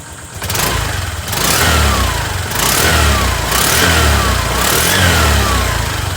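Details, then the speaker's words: Honda Click 125 scooter revved after a PCX 150 (big) radiator fan was installed: revs rise and fall evenly and cleanly with no scraping or rubbing from the fan; fan clears, engine healthy. "So ngayon wala naman siyang tumatama kasi wala siyang humingay mga boss. So ngayon rev natin siya."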